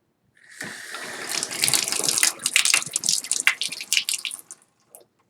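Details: Tub/shower faucet after installing a new Moen 1222 cartridge, replacing one that would not shut the water off: water hisses on in a steady spray, then trickles off and stops cleanly at the stop with no squeal or hammer. Valve working normally.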